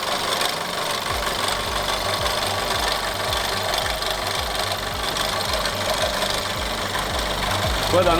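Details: Golf 6 1.4 TSI at start-up: rapid low knocking, about 160 a minute, over a rough idle, a very unpleasant start-up noise that does not go away; engine knock at idle, source unclear.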